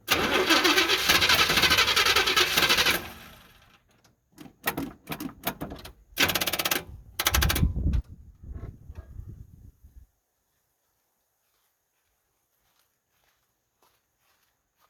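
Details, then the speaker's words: 1978 Chevy C10 after its first oil change in 10 years, with new spark plugs and plug wires, cranked off a jump pack: the starter churns, then weakens into faltering turns and stops without firing because the jump pack is dead. "well our jump pack dead that's great"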